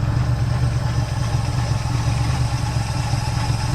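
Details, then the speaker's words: 1970 Pontiac Tempest revived with a temporary fuel line and hot-wired coil: lumpy, uneven idle with irregular low thumps and a stumbling beat, running poorly though it ran well days before; ignition timing well retarded. "But I will tell you, it's running like poof. And it was running good the other day."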